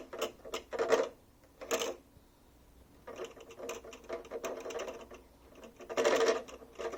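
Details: Fan heater: over a faint fan hum come bursts of rapid light ticking and rattling every second or two; a broken mount for the fan/motor appears to be the cause.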